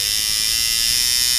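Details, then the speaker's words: Sidewinder V3 rotary tattoo machine after shortening the stroke, with about 1 mm spring tension: steady, crisp, even high-pitched buzz with no choppiness, still sounding good at about 5 volts. "you can hear it sounds crisp I can turn it down to about 5 Vols and it still sounds like like a tattoo machine"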